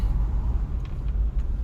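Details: 2004 GMC Envoy, inline-6, 251K miles, road test in 2-high after the front drivetrain repair: low, even road rumble with no grinding or whine, quiet under hard braking and over bumps; a slight grind remains in 4x4.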